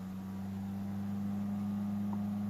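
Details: CPU cooler fan on an AMD Phenom motherboard after reseating the cooler; low, steady hum with no surging or racing, an even calm speed, normal.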